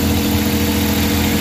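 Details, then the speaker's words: Suzuki K6A engine (DA63/DA64) after a general overhaul, warming up: steady, smooth hum holding an even idle with no knocks, ticks or misses; normal idle. "Yan, medyo umiit na siya. So kaka-idle na yan."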